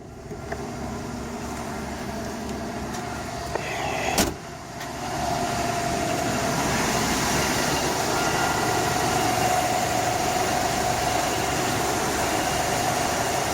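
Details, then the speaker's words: 1982 Ford F-250, 4.9L 300cid inline six, first start after new spark plug wires, distributor cap and rotor: a brief clunk, then a smooth even idle about four beats a second with no misses; healthy running. "here we go and there you have it sounds good let's go"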